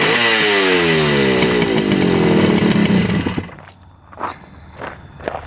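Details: 1975 Yamaha RD200 two-stroke revived after 20+ years in a barn: crisp ringing note revs up, holds steady, drops to clatter; runs clean and healthy, normal two-stroke running.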